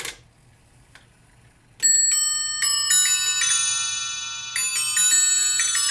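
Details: Eighteenth-century three-train fusee spring clock, after repair, cleaning, lubrication and new gut fusee lines, on test: even ticking about three and a half beats a second, then clear bell strikes; runs and strikes healthily.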